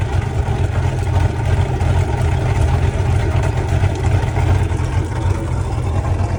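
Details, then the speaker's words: 2003 Bayliner 215 bowrider, 5.0L MerCruiser with roller cam, at idle, heard from outside: deep steady rumble with a slight rhythmic lope, no knocks or misses. Normal lopey idle. "So this little 5 L has a roller cam and you can hear it. It's got some lobe to it."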